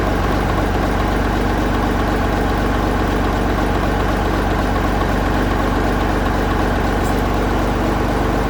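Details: 1965 Gardner 6LXB 180 marine six-cylinder diesel on test stand after rebuild (it had failed 80 hours after a previous overhaul): steady even clatter about four beats a second, no misses or knocks; healthy smooth idle.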